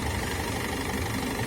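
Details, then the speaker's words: 2014 Nissan Primastar diesel, 163,000 km, recently imported from Sweden: quiet, even idle with a soft steady rumble and no whistle or rattle, running as smoothly as a petrol engine; normal idle. "дивіться як працює мотор зразу вам скажу Це він працює як бензиновий"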